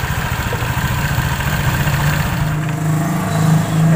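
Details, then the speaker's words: Honda Vario CVT after repair of a damaged drive belt, a failed rear pulley bearing and a worn roller housing, which had caused clatter and rattling: it revs up smoothly with an even drive hum and no clatter. The CVT sounds healthy. "mengatasi Vario bunyi kemelatak dan bunyi ceruit-ceruit serta bunyi kemerosok di bagian belakang sudah selesai dan halus Kang Bro"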